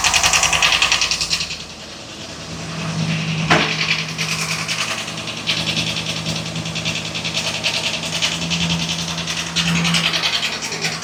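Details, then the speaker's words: 2022 Ford F59 7.3L gasoline V8 at rough, stumbling idle with fast, uneven top-end ticking clatter, P0300 random misfire code; technician says not rod or crankshaft, suspects camshaft, vacuum reads normal; cause unconfirmed. "Es un ruido extraño, pero lo que sí les digo que no es biela ni es cigüeñal. El ruido se oye arriba."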